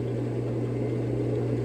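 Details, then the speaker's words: Raypak above-ground pool and spa gas heater after replacing the pressure switch and rollout switch and cleaning: sparks, then fires with a steady low hum and even smooth burner roar, no flutter or popping; normal operation. "I'm gonna flick it on and we should hear the gas heater fire up. Let's give it a go. Sparking. I just heard it fire up. Heating."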